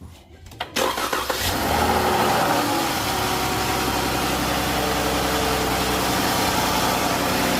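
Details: 2011+ Chrysler 300 after intake removal and oil cooler/oil sensor replacement, engine light on: starter cranks briefly, engine catches cleanly and settles into a smooth, even idle with no knocks or ticks; normal start.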